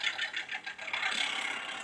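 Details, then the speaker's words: TCL 32 inch LED TV (L32B2600), audio fed via RCA from satellite receiver, backlight flickering and suspected power supply fault: quiet scratchy crackle pulses about every tenth of a second, then harsher buzz; crackling distorted audio. "Dan suara audionya pun berderak ya atau berserak gitu ya teman-teman"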